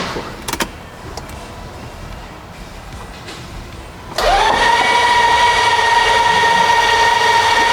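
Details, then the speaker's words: Built Nissan 300ZX twin turbo engine with AMSOIL break-in oil, plugs out, battery on a slow lithium charger, cranked to build oil pressure before first start: steady high starter whine, fast even cycling, no firing. Normal cranking. "So let's go ahead, let's do that. We've got some AMSOIL break-in oil in there, and let's go ahead and we're gonna crank, build some oil pressure."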